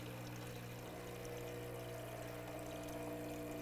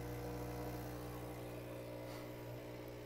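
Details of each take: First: Profitec Pro 600 Quick Steam Plus dual-boiler espresso machine, initial fill at startup with the pump run at least 30 seconds: quiet, steady vibration-pump buzz with water trickling, even tone throughout; pump filling normally. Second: Profitec Pro 600 Quick Steam Plus dual-boiler espresso machine, first startup filling: vibration pump gives a steady buzzing drone with an uneven pulse, as if gulping air; air bubble in the vibratory pump, common after shipping or draining.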